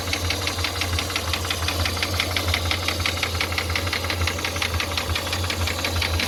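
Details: Toyota 5VZ-FE engine at idle: a sharp, even knock at about three per second rides over a steady idle. The owner suspects a connecting rod, which is unconfirmed.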